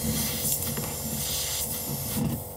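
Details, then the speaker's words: Fridge not cooling, switched off: steady airy hiss at the freezer-section evaporator, refrigerant escaping, so the evaporator is leaking. "Tapi ketika saya matikan tapi nanti akan mengeluarkan udara atau suara desis di bagian evaporator ini udah pasti evaporator ini bocor teman-teman ya"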